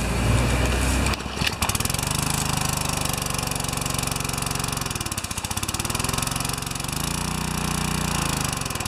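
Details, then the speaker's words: Pressure washer, 4 HP vertical-shaft engine (2200 PSI, 1.9 GPM rated), just fitted with a 2.2 GPM replacement pump; uneven engine note sagging and recovering in slow waves, engine labouring because the pump is too big for the motor. "Yes, the pump's a little too big for the motor."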